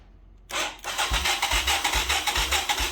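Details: 1985 Yamaha YTM225DR Tri-Moto revived after 30 years, spark and compression confirmed, battery borrowed from another quad: starter turns engine over in steady pulses about 2.5 per second but it never fires; owner suspects no fuel reaching the cylinder.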